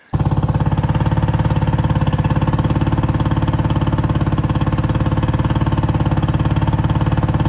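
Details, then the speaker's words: Outboard on a restored abandoned 1756 Tracker boat, after electrical and water work, telltale showing water pump working: fires up at once into a steady, even putter with no misses or knocks; normal running. "Okay, we went ahead and got all of that electric, water work, and the engine is running great."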